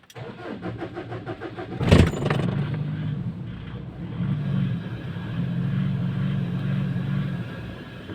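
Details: Ford Everest diesel with low power and hard starting: starter cranks in quick even pulses, engine is slow to catch, then fires with a burst and settles to a low, slightly wavering idle.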